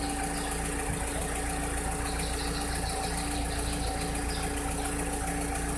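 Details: 2006–2007 VW SpaceFox engine at idle: a steady idle with a faint, roughly regular tapping of about three or four per second over a constant hum; a strange noise whose cause is not identified.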